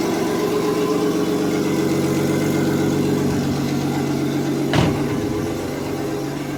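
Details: Porsche Boxster with a forged Audi S4 2.7 bi-turbo engine, after replacing a bad lifter, about a minute after startup: smooth, even idle with no ticking or knocking apart from one brief click. A cold rattle, suspected piston slap, goes once warm.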